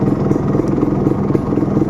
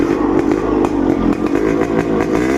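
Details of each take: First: Suzuki Satria Hiu two-stroke, after sitting unused: idle stumbles unevenly, beats bunching and dropping ("timing kuda"), lights flicker; weak battery below about 12.4 V upsetting ignition causes the unstable idle. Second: Suzuki Satria Hiu two-stroke with original Denso coil and CDI, battery at a steady 13.3 V, after an unstable idle problem: even idle with a blip that drops back cleanly, no hunting or stalling; idle stable and fixed.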